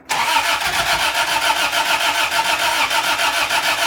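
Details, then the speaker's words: 1986 Toyota Tercel wagon after a rebuilt 3A-C engine swap, clutch in: steady rhythmic cranking under two turns per second that never catches; owner suspects distributor timing is off, cause unconfirmed. "I might be off in the timing. That might be what's going on. So go ahead and try and start it now."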